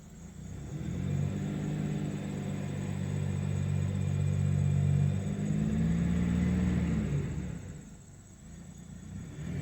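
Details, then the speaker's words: 2002 Buick LeSabre after crank-no-start fixed with new ignition control module, following a crankshaft position sensor change: steady even engine note with smooth rev rise and settle, no misses or knocks; runs normally. "so everybody just to reiterate the problem with this car was crank no start let that battery charge because she's a little low from troubleshooting so the new ICM worked"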